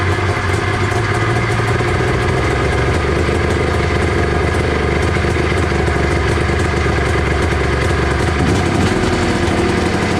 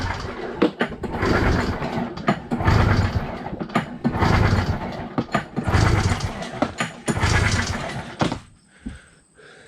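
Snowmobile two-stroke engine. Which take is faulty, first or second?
first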